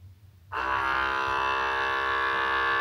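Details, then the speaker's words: Wacaco Pixapresso portable espresso maker pulling a 16 g shot: a steady buzzing mid-pitch pump hum starts suddenly and holds, then soon stops for about 5 seconds of pre-infusion before the shot; pump running normally. "now you will hear that it soon stops. This is the pre-infusion going on inside, about 5 seconds, and then the shot."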